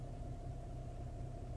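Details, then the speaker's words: 2015 Infiniti Q70 3.7 at 97,000 miles, heard from the driver's seat: steady low droning hum at idle in drive that goes away when revved or put in neutral; source not pinned down, owner suspects something loose against the body. "I'm going rev It Up goes away let it idle again put it in neutral and it goes away"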